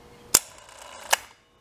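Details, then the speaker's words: Wrightway hoist electromagnetic brake after a burnt coil was replaced: two crisp metallic clacks about a second apart with no buzz or drag. The brake engages and releases properly; the lift appears repaired. "working so you can see it's pulling back the uh the plate away from the shoe so I think the lift is uh repaired"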